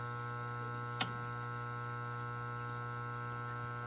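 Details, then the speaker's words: Beckett oil burner, no heat: after switching power on, the motor hums steadily with a click but fails to start and then goes into lockout; the start capacitor is suspected. "it's gonna try to kick on and it's humming not a whole lot happening you just hear it humming and it's gonna it's gonna go into lockout"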